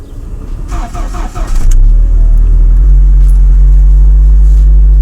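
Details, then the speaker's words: Lada Niva 21214 on the move after steering column knock fix (needle bearing replaced with roller bearing): steady low engine drone, no knocks or rattles, steering wheel no longer wobbles; other vibrations now noticeable. "руль не болтается класс наконец-то но знаете сейчас в чем прикол стал я теперь слышу что остальное вибрирует"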